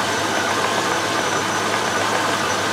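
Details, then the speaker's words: Range Rover with a temporary 40 PSI aftermarket fuel pump, just started and cold, fuel pressure just over 30 psi: steady, even idle sitting a little fast with no knocks. Idle runs high when cold; an adaptive-values relearn may be needed. "uh it's running a bit high at the moment cuz it's cold but uh that should be all right"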